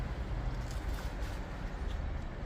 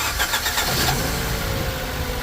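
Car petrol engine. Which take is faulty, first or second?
second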